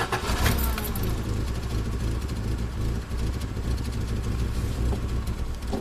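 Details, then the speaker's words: Old Subaru Outback with failing fuel pump: starts, then runs with an unsteady surging rumble that never settles, barely responds to the gas pedal, nasty-smelling exhaust; rough running from the fuel pump. "Running real rough. The exhaust smells really nasty. So, this is uh this is what it sounds like when your um when your f fuel pump is developing problems."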